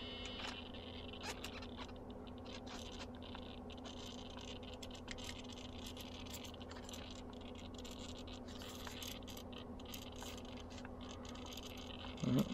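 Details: RC car steering servo, receiver on first, ESC and battery connected; irregular faint clicks and twitches several times a second as servo jitters instead of holding centre, persisting when wheels are moved by hand, servo not hot; servo chatter, unresolved.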